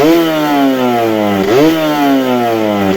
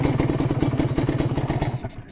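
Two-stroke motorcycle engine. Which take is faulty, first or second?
second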